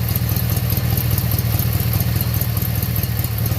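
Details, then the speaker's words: Briggs & Stratton 18hp opposed twin running after carburetor cleaning and reinstallation: a low, even putter at about two and a half pulses a second with no stumbles; running cleanly. "That's different than a V-twin. Listen to that baby low. Guys, I love the sound of those opposed engines."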